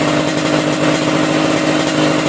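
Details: Carbureted motorcycle at idle after dry carburetor adjustment, idle mixture screw turned for highest, lightest revs: light, quick, even idle with crisp exhaust patter, no stumbling or hunting.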